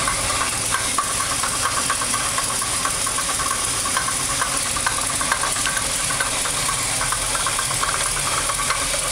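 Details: 1986 Oldsmobile Cutlass Supreme 455 V8 engine build at about 8,000 miles, 5W-30 and 10W-30 synthetic oil at correct level, stock pan, Bosch filter: light uneven knock at idle, about two per second, started within the last 50 miles.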